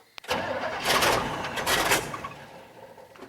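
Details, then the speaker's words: 1965 Chevy C10 stepside with 250 straight-six: starter click, then rough cranking with brief catches that die away. The engine won't keep running because it has no gas. "oh man always something with these old trucks ain't got no gas in it"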